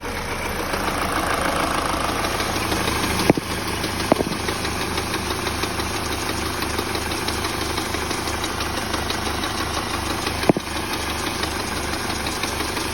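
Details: Peugeot 308 at idle with a sudden frightening knock from under the hood: a constant ticking knock with a few louder slaps, which turned out to come from the alternator belt, not inside the engine.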